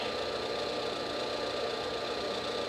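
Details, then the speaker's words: 1959 Axeman Anderson 130M coal stoker boiler on a heat call with stack temperature near but below the 80 °C set point, so only the combustion fan runs: even, steady rushing hum with a light constant whine. Normal. "fans just running now because this has not reached 80 degrees centigrade yet this is the stack temperature and it inhibits ashing until it reaches the 80 degree c set point"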